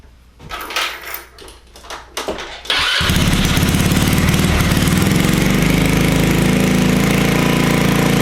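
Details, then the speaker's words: Honda Ruckus with GY6 engine, hard-starting problem, after raising the idle and adjusting: a few seconds of fumbling, then engine fires instantly on the button and settles into a steady even idle; normal start. "So that seems like it did it. You see how I hit it and it boom turned on."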